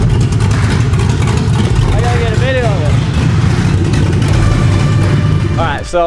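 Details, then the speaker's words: 7.3L Godzilla V8 in an S550 Mustang with new camshaft and valve springs, first start after two days of no-starts: a big V8 roar holding a steady, strong run with no stumble or miss; runs cleanly. "I am so freaking stoked that this thing finally fired up it has been a long time coming"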